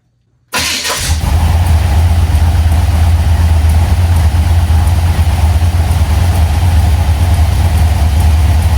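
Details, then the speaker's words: 1980 Chevy C10 with a 377 stroker V8 and Edelbrock AVS2 carburetor, idling hot: deep steady idle with faint light ticking. A mechanic suspects valve train noise from a solid-lifter cam; the valves may need adjusting. "I'm wondering if it's got a solid lift Handa in it cuz you can hear of valve train on"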